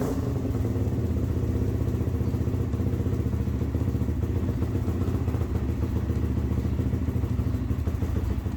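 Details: ATV (quad) started after the stator was reinstalled with a new gasket to fix a starting issue: it catches and settles into a quick, even single-cylinder thump with no starter grind or clatter. Normal starting and idle.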